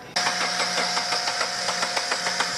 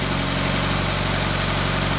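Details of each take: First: Subaru with new short block, fuel line hooked up wrong flooded the engine with gas running out the air intake, weak battery: steady rhythmic cranking, then it catches and runs rough while clearing the flood; timing corrected, no valve damage. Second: Subaru BRZ on a new short block after fixing reversed fuel lines, timing actuator valves correct; warming up toward temperature, even steady idle with a regular low pulse, no ticking or stumbling, idling down nicely.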